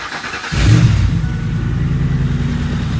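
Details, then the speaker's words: 2005 Ford Explorer 4.6L V8 started for about 30 seconds with the accessory belt removed: steady, even idle with no ticking or rattle from the timing cover; the noise is isolated to the accessory drive area, not the timing chain. "no noise from the timing cover area that's how quick it can be to diagnose and pinpoint the noise on these engines"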